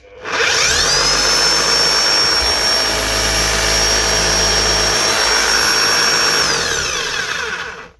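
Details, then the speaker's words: DeWalt D25810 chipping hammer, type 1, run after its bad bearing was replaced and new O-rings were fitted; a high motor whine with steady hammering that spins up and down cleanly, though the armature gear and probably the crank are worn but still mesh. "Doesn't sound too bad. The gears are worn. There is damage to the actual gear on top of the armature and probably to that crank."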